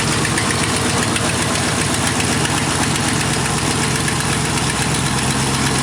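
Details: 1986 Chevrolet Camaro IROC-Z after welding the exhaust pipe broken at the Y-pipe fork, first start: steady, even idle with smooth exhaust beat, no puffing or ticking; exhaust now leak-free and sounds much better, normal idle.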